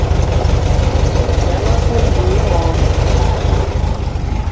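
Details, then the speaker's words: Cold VW Beetle (vocho) with an air-cooled engine and a dirty carburetor (jets likely clogged), just started after topping up the transmission oil. It idles rough with a lumpy, uneven beat and deep rumble; the earlier transmission noise is gone. "Está muy frío. Y el carburador está sucio, la verdad. La verdad es que el carburador está sucio."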